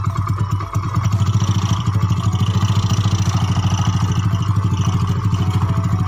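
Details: Yamaha Mio bored up to 150cc with standard parts, freshly assembled, first start test (previously rough, worse when hot): rapid, even putt-putt idle with a loud, throaty exhaust, no misfires or knocking; healthy.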